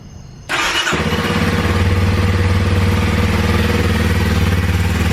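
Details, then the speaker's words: 2021 Kawasaki KLX230 dual sport after replacing a battery that kept dying: the engine fires on the first crank and settles into a steady, even, low thumping idle; normal healthy start. "turn on good first try"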